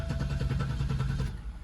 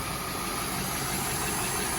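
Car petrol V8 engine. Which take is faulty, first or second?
second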